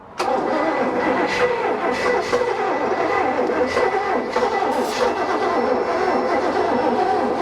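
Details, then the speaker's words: 1988 Bayliner Avanti 3250 with twin 260 HP 5.7 Chevy 350 engines and OMC Cobra outdrives, sitting 6+ years, throttle opened by hand: continuous cranking with ragged uneven catches that never settle; hard starting. "throttle's open way too far no i i manually move the throttle oh okay just to get it to start but uh keep your hand on the throttle and throttle it when you're doing it try again"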